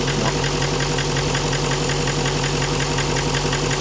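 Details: Truck on its second new engine build within 15,000 miles, idling: hard, even metallic knocking about three times a second; worn crank bearings knocking, with metal expected in the oil.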